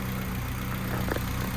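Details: 1992 Honda Civic hatchback, warmed up at idle: constant thin unchanging whine over engine note; owner suspects alternator, but persists after replacing alternator, new belt tightened and valve cover resealed; cause unknown.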